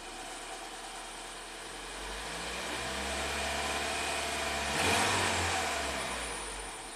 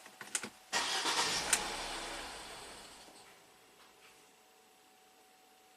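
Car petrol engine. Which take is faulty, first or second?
second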